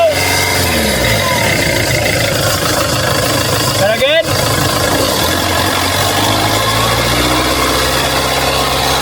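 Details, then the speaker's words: 2.1L diesel Mercedes-Benz Sprinter after turbocharger replacement: steady idle with a smooth, even turbo whistle over it, no scraping or siren note; the turbo sounds healthy. "yeah you can hear the turbo now un like ear there was no whistle to it"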